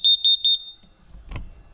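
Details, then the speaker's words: Carbon monoxide alarm beside a dual-fuel diesel heater setup at night, heater not running: sharp high-pitched beeps about a quarter second apart, then silence; the four-beep move-to-fresh-air warning. "four beeps move to Fresh Air call 9-1-1"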